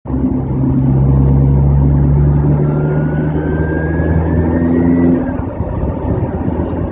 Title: Z20LEH turbo failure